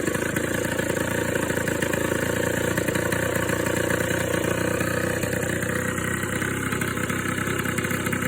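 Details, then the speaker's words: Suzuki LT80 ATV two-stroke just started after top-end rebuild with new cylinder and piston, compression now about 120 psi (was low, wouldn't run); smooth, even idle with steady crackle, no knocks or rattles; normal idle. "Now, let's try and start it up. Ooh. There we go. That would have turned the fuel on, wouldn't it? That's better sounding."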